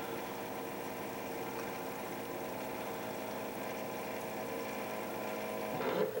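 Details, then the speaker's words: Classic Keurig K60/K65 after cleaning nozzle and pump blockage; quiet even pump hum refilling the internal hot water reservoir after the cup, heater drawing about 1200 W — normal pump operation, fixed. "so so what just happened there after it filled the cup was you heard the pump running to refill the hot water reservoir inside the unit"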